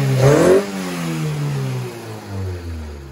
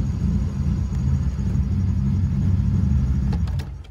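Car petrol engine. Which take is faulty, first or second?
second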